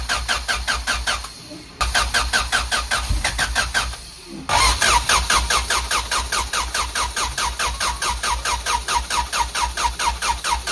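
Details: Honda Civic after a new coolant temperature sensor, ignition control module and rotor: slow, labouring starter pulses about two per second across several cranks and the engine never catches; crank-no-start, later fixed by fitting a fully charged battery.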